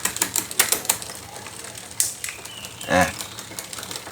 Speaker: Saat kita menaikkan gigi, prosesnya tidak langsung dijalankan. Seperti ini. Lambat, berisik, dan tersendat-sendat, seperti ini, semuanya.